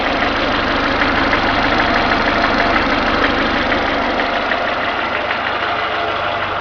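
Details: Renault Logan at warm idle: steady, fairly even light knock about three per second, appearing once the engine warms to two gauge divisions and absent when cold; cause unknown.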